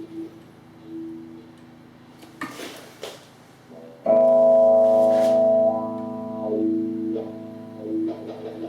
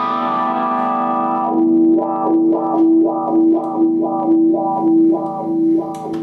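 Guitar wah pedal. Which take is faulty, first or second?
first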